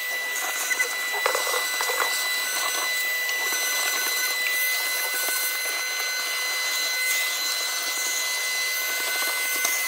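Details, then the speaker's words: Salvaged vacuum cleaner recovered from a dump, run from a portable power station; continuous high-pitched whine with hissy rush and slight wavering; noisy but working, cause unknown. "Il avait été mis à la déchetterie et puis il fait du bruit, c'est vrai, mais pour l'instant il marche."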